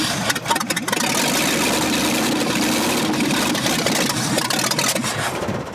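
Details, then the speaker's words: Buried, neglected 1965 Ford F100 starter churns about four turns a second with no firing, cranks but won't start; needs heavy pedal pumping, owner suspects too little fuel or too much air. "It's still not getting enough gas down in there for some reason. Or we're getting too much air, I guess is what it would be. Yeah. Because I'm having to really pump on it. I was hoping it'd crank around."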